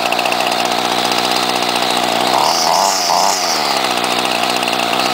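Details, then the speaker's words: 1995 Ryobi 700R string trimmer, 31cc two-stroke, started on choke after priming: high buzzy idle, even and steady with brief flutter; normal two-stroke idle. "put it on choke pump a few times and then we'll start it up for you and there you go simple as that pretty good for a 16-year-old trimmer"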